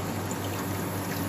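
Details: Ice machine after cleaning, servicing and reassembly, startup cycle with compressor kicking in: steady even water trickle over a low constant hum; normal circulation while temperature drops.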